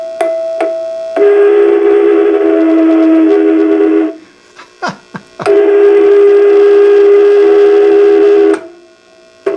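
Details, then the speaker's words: 6SL7 preamp tube, triode two, in a D-Lab Micronaut II microphonic analyzer; loud sustained bell-like ringing lasting seconds, stopping and returning, more current applied to excite it; microphonic tube ringing. "Oh, listen to that. It's like a little bell."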